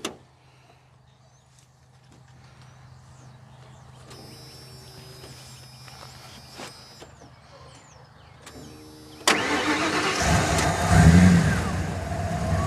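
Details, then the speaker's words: Van sitting unused during quarantine, started on jumper cables; cranks, catches promptly and settles into a steady V8 idle; normal start and idle. "That sounds pretty good. Yep."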